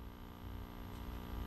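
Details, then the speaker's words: Recapped tube radio of unknown make on variac at about 60 V, warming up, volume wide open, no station: low steady hum with faint buzz through the speaker; mains hum, cause suspected, not confirmed. "Okay, I'm starting to hear some hum from the speaker now. Right, volume is wide open."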